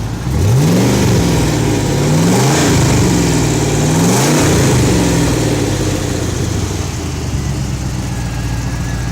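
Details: Stock 2006 Pontiac GTO LS2 V8 with 20,790 miles, run on an engine stand after 9 years stored in plastic, on a Camaro exhaust: clean revs up and down about three times, then a steady even idle; healthy.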